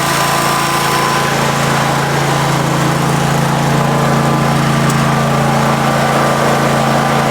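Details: Husqvarna 54-inch deck zero-turn mower, long stored in a shed, first start on a new battery: steady petrol engine drone at even speed, no misfires or knocking; runs pretty good, normal running.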